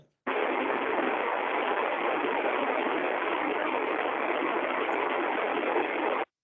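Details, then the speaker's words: Ultrasound probe recording of a rolling bearing 6 dB above its 18.3 dBµV baseline, at 24.3 dBµV: even, louder rushing hiss with no clicks; bearing lacking lubrication and needing grease before it becomes a corrective case. "foi para 24.3 decibéis transformamento que precisa ser lubrificado senão ele vai ele vai já entrar para o lado corretivo"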